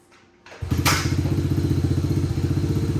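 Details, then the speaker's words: Honda CRF70 after air intake install and emissions delete, started cold: catches after a few cranks, needs a minute to warm up, then settles into an even, steady single-cylinder putter, running properly. "All right. This one's a little cold. It's gonna need a minute to warm up."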